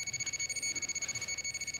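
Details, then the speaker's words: Radiation detectors in alarm over heavily contaminated clothing in a Chernobyl hospital basement, reading thousands of counts per second; rapid continuous clicking under steady high-pitched alarm beeps at very high count rate. "I was getting intense readings as you can hear lots and lots of counts all the devices I had with me are in aarm mode you can hear the beeps and clicks and everything"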